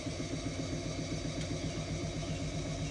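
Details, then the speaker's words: Indesit washing machine after bearing replacement, which required cutting the drum housing: even, rhythmic hum as the drum picks up speed in rinse and spin, no rumble or grinding; new bearings quiet and healthy. "no obvious problems normal noise basically so being good right we're now entering uh quite a high speed still no problems amazing difference new bearings have made"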